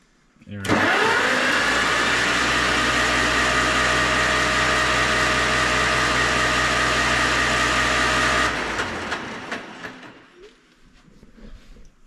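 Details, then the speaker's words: Farmall 400 tractor, bought as a non-runner and put back together; it starts promptly and settles into a steady, even run for about eight seconds before shutting off, sounding healthy. "oil it runs it started right up dy I was it did I am impressed"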